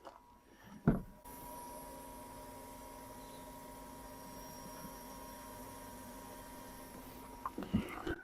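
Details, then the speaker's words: 1993 Ford F-250 with a 460, sat 3–4 years, running very badly: with only the key on, the fuel pump hums continuously and never shuts off, a telltale sign of a faulty PCM keeping the pump on. "so that pump shouldn't be running like that with just the key on and that that's a tail taale sign that the computer's bad"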